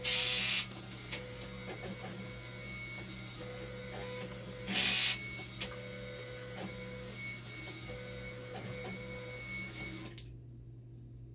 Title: #104 24V. 5V. ACID & BICARB PUMP MAKING NOISE PROBLEM ON DIALYSIS MACHINE.